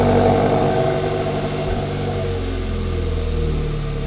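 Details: Hyundai Elantra GT / i30 N-Line 1.6T, first cold start after fitting XForce Varex valved catback exhaust, valve open, then shut. Loud, even fast idle settles into a quieter, steady rumble partway through, no knocks or misses: normal cold start idle.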